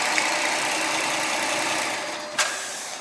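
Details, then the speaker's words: 2010 Dodge Charger SXT, 3.5 liter V6, hood open: smooth, even idle with steady low hum, no knocks or misses; healthy engine. "There's your engine. It's a 3.5 liter V6. Sounds sweet."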